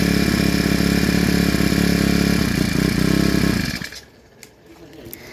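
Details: Four-stroke brush cutter after fitting a new carburetor (old one worn with age caused hard starting and stalling at idle): quick even putter holding steady nearly four seconds, then shuts off cleanly, no stumble; normal start and idle.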